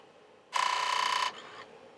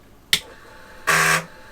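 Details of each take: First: Commodore 1541 drive powered on with its own chips during an SFD 1001 repair test: a good startup with the green light, then a short buzzy head rattle and faint ticks as the head seeks normally and settles. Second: Commodore SFD 1001 (DOS 2.7) drive formatting a disk: one sharp tick, the drive motor runs, then a harsh buzz as the heads bang against track zero. It probably has no track zero sensor. Format speed error 75.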